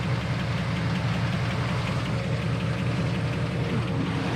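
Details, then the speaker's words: Engine idling just after an oil change, heard on a walk-around with oil pressure steady: light, quick tick keeping time with the engine over a steady idle; owner says it has ticked for 15 years, source not pinned down. "And yes, it's going to be loud because the engine's running, but oh, listen to that pick. Tick, tick, tick, tick, tick, tick, tick. I swear, boys, that thing has been doing that for 15 years."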